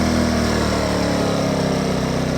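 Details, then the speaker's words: Champion 2500 W dual fuel inverter generator on first start, in eco mode; smooth, steady low drone with an even pulse, starts right up and sounds healthy. "There's eco mode on. Sounds pretty good. Start right up."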